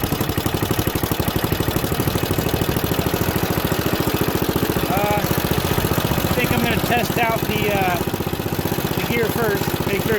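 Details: Junkyard Ditch Witch C99 trencher, antique, year unknown, started in neutral: steady fast even putter with no misses or knocks; the small engine runs smoothly.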